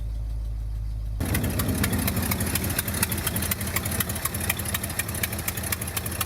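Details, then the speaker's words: 1971 Ford F250 Highboy V8, first cold start of the year with choke: catches and idles with sharp, irregular puffing tick over low rumble, an exhaust leak at a bolted fitting. "an exhaust leak right here there's a bolt fitting but that's what that noise is they'll have to deal with that"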